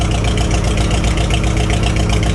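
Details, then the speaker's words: 1949 Farmall H gasoline four-cylinder with Delco distributor and bad thermostat, not reaching temperature: low uneven idle with firing pulses dropping out; misfire suspected from spark plugs, new plugs planned. "you can hear it missing and I think that's going to be spark plug related"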